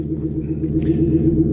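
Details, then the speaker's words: Ford F250 running after its catalytic converter was stolen overnight: deep, loud, unmuffled exhaust drone with a steady low beat; converter missing and must be replaced. "that's what happens when you have your catalytic converter stolen from you at 1:30 in the morning."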